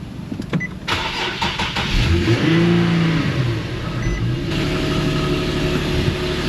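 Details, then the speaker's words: Engine after misfire repair with quick-set JB Weld: starter cranks, engine catches and settles into a steady, even idle; doesn't sound great but no stumble or skipped beats; no misfire. "doesn't sound good but it's not misfiring"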